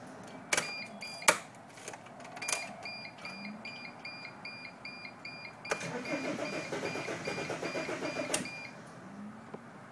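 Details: 2005 Dodge Sprinter, crank no start: the starter turns the engine over steadily at about five pulses a second for several seconds, but it never catches.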